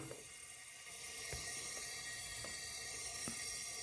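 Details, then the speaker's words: 1981 Honda CB900 Custom leak-down test, cylinder 2: steady hiss of air past piston rings, none from exhaust or carburetor; rings, not valves; compression earlier low. "if you listen closely, you can hear, once again, like number 1, you can hear air getting past the rings, but again, there is no air coming out of the exhaust or the carburetor."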